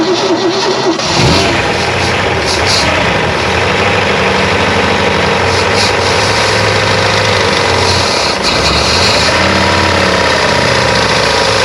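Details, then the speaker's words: 1957 Chevy Bel Air convertible barn find, 283 V8: cranks, catches and idles roughly with a faint whirring from the back; suspected throwout bearing, noise getting better. "it's getting better I think it's throw out bearing yeah it's I think it's come from right here yeah it's in the back it's in back yeah it's a lot better A lot better"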